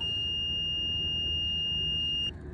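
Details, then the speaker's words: Kitfox with Rotax 912ULS, intermittently losing one ignition system: the multimeter continuity tone on the stator wires holds about two seconds then cuts out, with the terminal cut off and grounded at the intake; bad terminal connection suspected. "so we're going to check it here and just see if there's still a brake cuz it might just be a bad bad connection here at the terminal"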